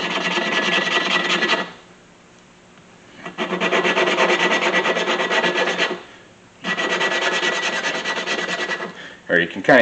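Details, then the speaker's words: 1999 Mustang 3.8L V6 with low compression from leaky valves, head removed, hand lapping a valve with suction tool: gritty rasping strokes in back-and-forth bursts with pauses; valve and seat not yet lapped in. "it change its note it started out sounding really gritty and that's making less noise"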